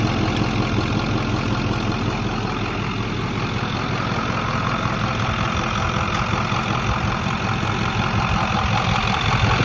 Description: Truck runs fine, the sound comes and goes when idle. Sounds like two spoons clicking.